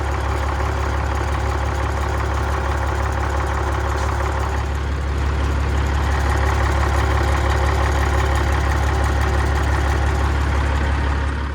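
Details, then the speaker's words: Caterpillar 3406E diesel in owner-operator truck, started cold in 30s°F weather, idling: steady deep drone pulsing about 2.5 beats per second, with heavy vibration seen at the throwout bearing; owner fears a broken crank, source unconfirmed. "Look how much that's moving. I don't like that. That in my hand, how much it's vibrating."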